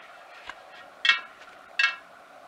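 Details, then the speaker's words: 1939 Royal Enfield 500 Model J Bullet wheel with mixed chrome and galvanized spokes, hand-spun against a dial gauge: a light scraping tick once per turn as the buckled rim brushes the probe, about 2 mm of vertical runout. "that noise is where the rim just touches the probe from the dial gauge"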